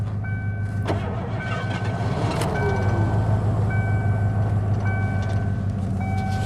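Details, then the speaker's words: 1987 Ford Crown Victoria, sat during quarantine, low on fuel: steady starter cranking about three turns a second, almost catches but never picks up; crank no start, suspected out of gas. "Oh, almost. Almost on that one. I think it's out of gas. I think so too. It's out of gas."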